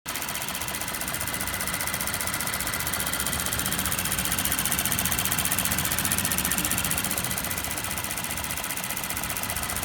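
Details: 2019 Toyota Tacoma TRD Off-Road 4x4 (3rd generation) at quiet idle with crisp, even ticking about two and a half times a second from the top end; cause unknown.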